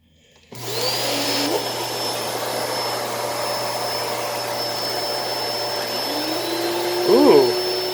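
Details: Hoover Elite Cyclonic S3825 canister vacuum, newly fitted belt, vacuuming living room: steady high motor whine with even airflow rush throughout; motor and brushroll agitation sound healthy, suction good.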